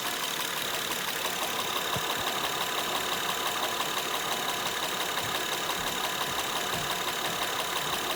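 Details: Honda Pilot at steady idle with a regular light knock about three per second, present both hot and cold. It is an engine knock, cause not identified.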